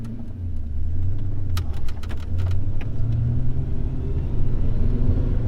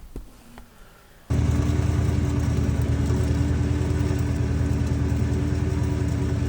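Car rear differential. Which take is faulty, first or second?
second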